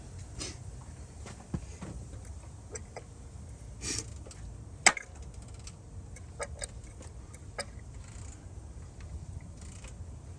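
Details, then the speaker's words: GM 2.4 L dual overhead cam engine at idle: sharp metallic ticks roughly once a second, not perfectly even, over low idle; owner says one is hitting hard, cause not confirmed. "We got one hitting hard. I be putting the head on this bad boy. Got one hitting hard."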